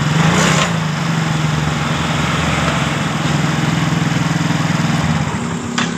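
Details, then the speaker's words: Yamaha Mio GT scooter, weak at mid rpm, after replacing the hardened fuel pump filter and servicing the throttle body: even quick putter at steady idle, no misses; fuel pressure now above 40 psi, up from 30, normal. "tekanan sudah mencapai di 40 lebih jadi motor ini sudah dalam keadaan normal"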